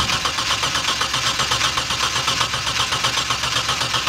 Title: mitsubishi shogun v6 engine sturnover no start